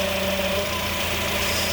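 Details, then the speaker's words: 2004-08 Acura TSX at idle after replacing the power steering pump O-rings and running five minutes: steady idle, only a faint pump whirr, no whine or groan; noise gone, though the fluid is orange and bubbling, still to be diagnosed. "as you hear it is not making the noise any longer so all it took was o-rings very easy to fix"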